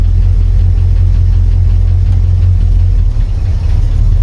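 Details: 1986 Ford F250 in neutral, after fixing a wrongly installed pilot bearing that made gears scrape: steady, even low engine rumble as the clutch goes in and first is selected, no scrape or grind; gears engage cleanly.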